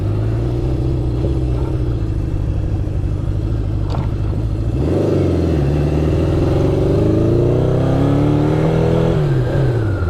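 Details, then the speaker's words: 1972 Honda CB750 four-cylinder, after carb rebuild and sync, riding: lumpy uneven exhaust stumbling as revs rise, one cylinder dead; caused by voltage loss through poor kill switch contacts. "Kind of sounds like it's down a cylinder right now, which is weird. Yeah, it's not happy. I wonder if I dropped a plug or something."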